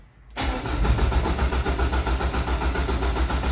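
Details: Peugeot 807 with IAW6LP1 ECU and an intermittent no-start, sometimes dying after 5 to 10 minutes of running: steady starter cranking at about three to four compression pulses a second, never firing; cause unconfirmed.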